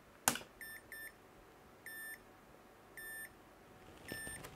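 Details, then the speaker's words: PC power supply running unloaded during a B550-to-X570 motherboard swap: a sharp relay-like click, then four or five short, evenly spaced high beeps; owner suspects the clicking is because the supply is not under load. "there's a definite click there after like some sort of relay"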